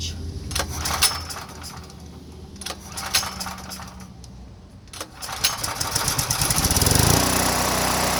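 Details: Power Mate VX generator after carburetor and fuel bowl solenoid cleaning, on switch finally flipped on: a few cranking pulls, then it catches and settles into a steady, even drone, probably running on fuel about eight years old.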